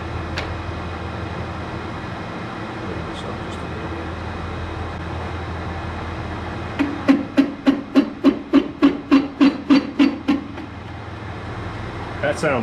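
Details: Snowblower on its first run: harsh buzzing rattle like angry bees, pulsing about three and a half times a second over the engine, from the involute auger engagement coupling whose splines had all stripped.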